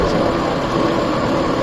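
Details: Warehouse exhaust fan before repair, with old motor and pulleys: steady rushing roar with a faint gritty hum underneath, from worn blower bearings. The bearings and motor were then replaced.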